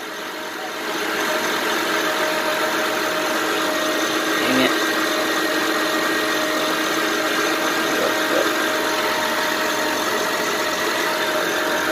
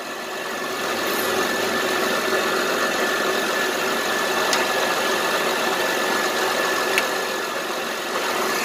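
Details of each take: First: 2007 Honda Pilot 4x4 idling on battery alone at 12.66 V with alternator not charging: constant high whirring tone with faint ticks over idle, owner hears the alternator bearings; failed alternator later replaced with a rebuilt unit. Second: 2007 Honda Pilot 4x4 idling after alternator install, charging at 14.35-14.36 V: steady, even idle with a faint regular tick and no misses or rattles; engine and charging system fine.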